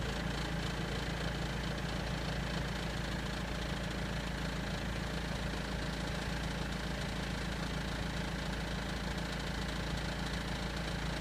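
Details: BMW 320d E90/E91 M47 diesel at idle: light, loosely regular rattle around three or four a second over the clatter; owner doubts timing chain, suspects crankshaft pulley; cause unknown.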